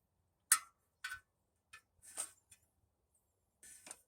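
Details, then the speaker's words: Harley Sportster front wheel, a 21-inch 40-spoke rim laced to a 1974–77 big-twin 19-inch hub, spun by hand: irregular light ticks and scrapes as outer spokes pass and rub the brake caliper, better after shifting but still hitting. "every time it gets on an outer spoke certain areas it wants to hit you can hear it there it's better but it ain't it ain't great"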